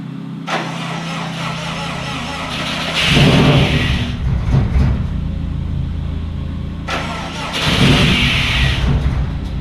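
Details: Subaru EJ207 freshly built engine, first start on break-in oil after install: cranks briefly, fires and picks up cleanly twice, no knocks; builder says slight piston slap is normal for these pistons, needs break-in.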